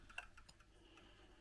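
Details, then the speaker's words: Pendulum clock, beat adjusted by nudging slightly then refitting the pendulum, gives crisp, quiet, evenly spaced ticks with no limp; clock now running in beat. "and you can tell when you got your right you the clock tick you L see the clock ticking now can you hear a nice tick tick tick"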